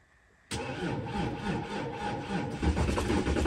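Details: Volkswagen Touareg 3.0L diesel, cold start after two days at about -33°C: silence, then catches straight away and settles into a rough, even idle after a brief stumble; clean cold start.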